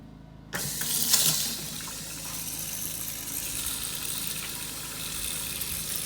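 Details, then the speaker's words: Off-grid solar cabin water system, kitchen faucet on the deck opened: water gushes from the tap as the pump kicks on with a faint steady hum underneath, giving a pretty good flow; pump cycling and delivering normally. "the pump just turned on, and I get a pretty good water flow there."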